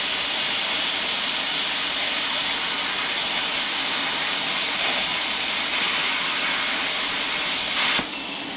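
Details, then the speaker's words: Test cut with a new plasma cutter/torch at maximum setting during fuel pump install on a 1967 Plymouth Barracuda: loud, even hiss held steady about eight seconds, cutting cleanly; normal plasma cutting. "that was much better and that was a shitty first spot a little bit better yeah anyway all right plasma cutter 101."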